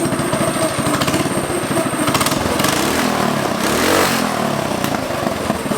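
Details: Predator 212 single-cylinder on a 1960s go-kart, just fitted with a performance header and air filter: crisp, rapid popping that stays even and steady; engine running normally.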